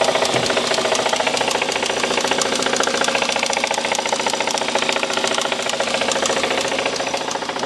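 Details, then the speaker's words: 2016 BMW M135i, stage 2 remap, revved: steady fast metallic knocking three to four a second through whole engine, top or bottom end unclear; rod knock suspected, not confirmed. "I think it's rod knock but I'm going to do some more investigating to see what it could be but the engine sounds effed"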